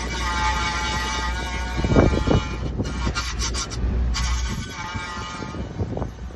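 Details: 2007 Honda Accord sedan, crawling while turning left: a thin steady squeal with scraping; a bent brake dust shield rubbing the inner side of the rotor, fixed by pushing it away.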